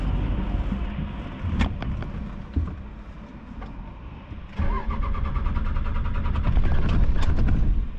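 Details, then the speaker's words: Hotshot pickup that shut off climbing a mountain despite showing 43 miles to empty and 18% fuel: starter cranks at a steady rhythm with brief catches that never run; out of fuel. "Oh. I think we got it. Definitely out of fuel."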